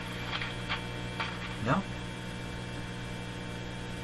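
Constant low, buzzy hum with a few clicks of handling and nothing else; mains hum is getting through the set, cause not found.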